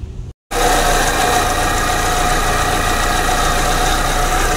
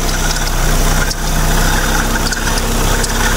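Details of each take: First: Proton Persona Campro, owner complaint of hesitation: coils lifted one at a time to check spark with engine running; rough uneven idle with irregular stumble; misfire from weak spark on cylinder 1. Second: Proton Persona Campro after fixing sluggishness and rough noise: smooth, steady idle, rough noise gone, slight chirp from the tensioner bearing; fan bearing also stiff, both due for replacement.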